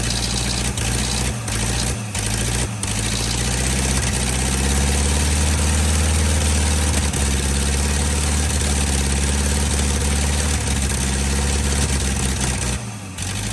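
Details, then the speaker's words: 1949 Ford F-5 flathead V8 truck, abandoned about 50 years, first run on throttle held open; low uneven idle stumbles and drops out early, then settles into a heavier lumpy beat as compression picks up, smoking; rough running. "well she run she don't run too bad she started picking up some compression there she kicked out all that nasty stuff I put down in"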